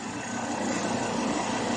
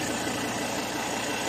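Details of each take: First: Ford Ranger 3.2 diesel idling while body is rocked, after tightening the shock absorber top nut: no knock or clunk comes through; shock mount now quiet. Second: Ford Ranger 3.2 diesel at idle: fast light rattling knock mistaken for engine noise, not from belt or intake/turbo leaks, disappears when vehicle is stepped on; loose shock absorber top nut.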